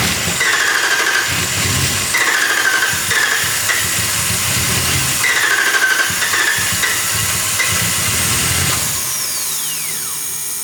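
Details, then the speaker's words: 2019 Ram 5.7 V8 no-start with the fuel pressure gauge fitted: the starter cranks evenly, about two turns a second for nine seconds, and never catches. The gauge needle doesn't move, so there is no fuel pressure. "And I don't see any leaks back there. And I don't think that this thing moved at all."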